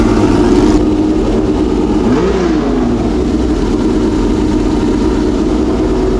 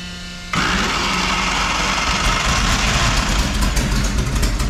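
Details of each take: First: Homemade V12 race engine in a race car, first start after months of storage: deep, even idle, then a quick throttle blip that rises and falls cleanly with no misfire. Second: Homemade V12 race car engine, first start after months of storage, water pump not running: catches after half a second into a ragged, uneven roar with a stumbling beat; not running cleanly.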